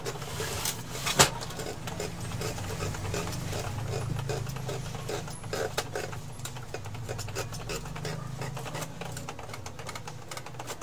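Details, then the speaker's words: Epson L3110 printer with all lights blinking and a general error: the feed whirs low and uneven with scattered sharp clicks because the encoder disk no longer grips its paper feed roller and slips as the roller turns. "nakita ko na ang problema guys itong ano niya itong encoder disk hindi na siya dumidikit kaya pag umiikot Ong ano umiikot itong roller naiiwan siya"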